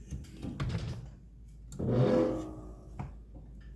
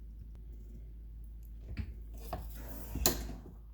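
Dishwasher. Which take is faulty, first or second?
first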